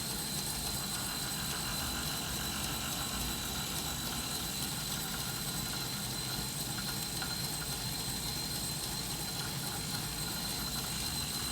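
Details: Wahoo Kickr Snap smart trainer, synced with a Wahoo Bolt and/or iPhone Zwift: extremely loud harsh distorted rushing noise with a thin high whine, steady under load or while coasting, not heard before.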